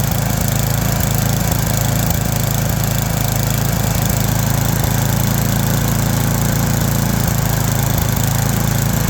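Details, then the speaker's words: Toro Power Max 826 LE snowblower, warmed up, after replacing the surging carburetor with an adjustable one and new fuel lines, tuned: steady even engine note, no hunting or surging at full throttle; running smoothly. "Okay, that's going to do it for this Toro snowblower. Got it all tuned up, running much better than before."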